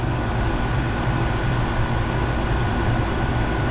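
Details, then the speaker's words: 2.5-ton split-system AC condenser with replaced fan motor, 5 µF capacitor kept, after 5 minutes running; smooth, steady low whir with no rattle, scrape or wobble; fan running normally. "It's been running for 5 minutes and the fan is running smoothly and pretty steady."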